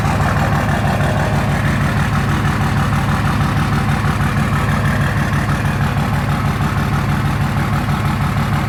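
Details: 2004 Dodge Ram 5.9 Cummins after a ten-minute warm-up: steady idle with hard, even clatter about three per second over deep rumble; knock at idle, bad injectors suspected.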